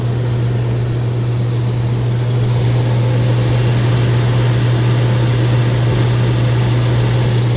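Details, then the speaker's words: Rooftop HVAC unit with no AC, a tripped breaker, burnt main disconnect contacts and low control voltage (20 VAC, 170 VAC to the transformer): a heavy, steady low hum as the compressor runs, the motor on. Loud compressor hum, cause unclear. "that noise is in compressors [Music] right now my motors on"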